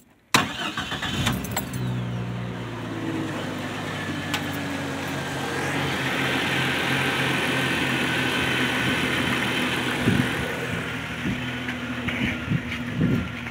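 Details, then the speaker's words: 1990-1999 Jeep Cherokee after replacing a cracked ignition coil: starter whirr, then the engine catches and settles into a steady idle with no misfire or stumble; runs much better than before. "it runs actually a lot better than it did which would explain why because there's cracks in the old ignition coil"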